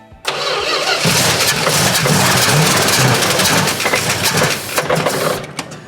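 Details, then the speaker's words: 1970 Plymouth Duster 340 first start after 30 years sitting, fuel pump function unknown: loud cranking catches and roars briefly on brake cleaner, then falters and fades, not yet drawing fuel from the tank; cranking, no fuel pickup. "She's not picking up fuel yet, but it might take a minute."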